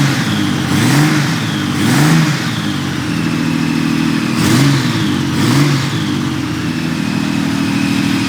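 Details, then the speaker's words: 1997 Honda Valkyrie, first start after sitting 10 years: four clean throttle blips settling back to a steady, even idle with no knocks or stumbles. Exhaust smoking as debris burns off. Normal revving. "But, I mean, this thing sounds like it runs very happily. [Music] Very, very happily. Let me give it a rev."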